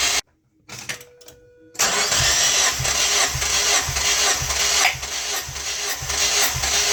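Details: Mazda MX-5 NB 140 after three trackday sessions, hard starting and stalling: cranks and catches, then rough lumpy idle with uneven thumps about twice a second; plugs 2 and 3 white, ignition misfire on two cylinders.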